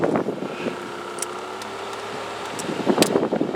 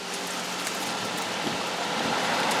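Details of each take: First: 2009 Toyota Camry blower fan under the glove box: quiet at low speed, then a fast, uneven ticking rattle builds from just under half speed upward; a nut-like object was lodged in the blower cage, and removing it fixed the noise. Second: 2009 Toyota Camry heater blower fan after removing debris (nut or similar) from the fan cage: steady, even rush of air at half and high fan speed with no rattle, ticking or scraping; blower now runs clean.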